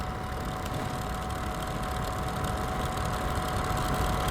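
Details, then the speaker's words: Dehumidifier that made weird noises and didn't always come on, on high fan speed after pushing down a stuck fan shaft that had too much play: smooth, even mid-pitched hum with low rumble, no scraping or rattle; now running normally. "and all the peers to be working as it should be I can't see anything from the high-speed appears to be fully operational"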